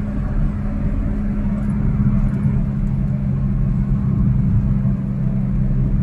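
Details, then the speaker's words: Perodua Alza driving: a steady low front drone over road rumble grows louder as speed rises, left and right. A wheel bearing is suspected, though the tyres should be checked first; not confirmed. "jadi kita sudah dengarnya punya bunyi macam mana Uh Kalau makin kalau kita makin laju makin kuat dp-nya bunyi berdengung dekat depan sini kiri dan kanan so Itulah masalah di pada bearing"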